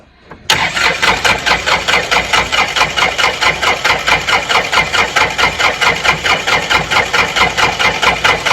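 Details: Worn Kubota L3400 diesel tractor being revived: steady starter cranking, a bit over two compression beats per second, engine never catching; crank-no-start, later bled and it ran.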